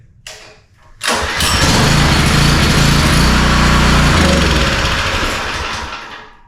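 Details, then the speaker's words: Power washer with 4-stroke lawnmower-style engine, after carburetor cleaning, full choke and full throttle: pull-start catches and runs steadily a few seconds then fades, runs only on choke; main jet suspected still clogged, lean. "Alright, so it's running on choke. It actually sounds obviously better than it did. It's running on choke, but it doesn't want to run when we take the choke off. Which probably means that the main jet is still too lean."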